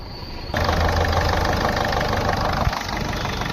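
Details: Ford Figo diesel after the dashboard was opened and refitted, restoring the cluster lights that previously did not come on; catches cleanly and settles into a steady, low diesel clatter at idle with no misfire or stumble; normal idle.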